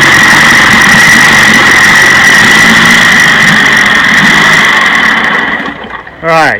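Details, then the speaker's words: 1956 Johnson 15 HP two-stroke outboard running and sputtering with an uneven, stumbling beat: the misfire has moved from the bottom cylinder to the top cylinder, which is not firing. "you can see it's pretty obvious that the top cylinder is missing fire"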